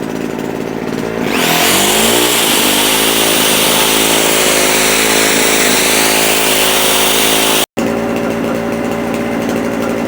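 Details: JCB two-stroke generator, unused for a couple of years, producing about 200 volts with a load plugged in: revs up to a steady even buzz and holds it under load, no surging or misfiring; healthy.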